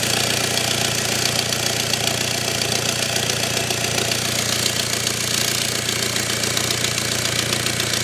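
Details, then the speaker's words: BMW engine at steady idle with a rapid, sharp ticking hiss at about two to three pulses a second; heard close up where exhaust gases and smoke billow from the engine bay: exhaust leak. "But yeah, if I fire the engine up and wedge that in there, you'll probably see a little bit better. You'll probably hear as well. You can hear there is a physical exhaust leak."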